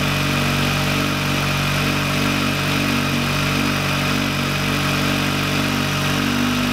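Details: VW Lupo 1.8T turbo first restart after engine failure, rebuilt with H-beam conrods, new bearing shells and 2 mm thick head gasket: steady, even idle with smooth low hum, no knocks or misses; runs cleanly and very well.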